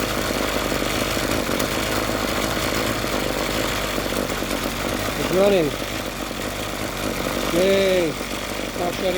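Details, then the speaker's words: Ryobi RY251PH two-cycle trimmer that stalled off throttle, after carburetor kit and fuel hose replacement: steady buzzing idle and two clean rev-ups without stalling; now running properly. "looks like it's going to run now job finished"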